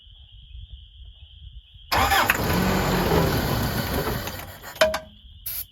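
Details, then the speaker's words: 1981 Toyota 4x4 pickup, long-sitting, started with a multi-tool on starter fluid, fuel pump doubtful: catches and runs rough and uneven about three seconds then dies; won't keep running. "Oh, come on. Stay running, you girl."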